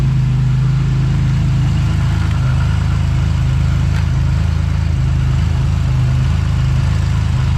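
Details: Buick GS after a Big 3 power and ground wiring upgrade, started in the rain with the A/C off, showing 14.4 volts. A steady, even low idle with no misses, knocks or whine, a normal healthy idle.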